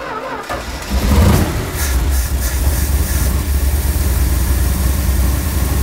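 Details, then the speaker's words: 1965 Dodge A-100, first start after 22 years stored, after flooding from a carburetor float problem: cranks, catches and settles into a deep, slightly lumpy V8 idle that holds steady; running wicked rich, charging. "oh yeah little beauty look at that running Wicked rich it's charging"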